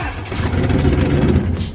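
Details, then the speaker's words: Turbocharged Mercury Marauder whose engine had locked up from salt water intrusion, first idle attempts: rough uneven low rumble that sags and dies; stalls every time throttle is tapped, earlier knock no longer heard, cause unknown. "No, every time I tap the gas, it just turns off."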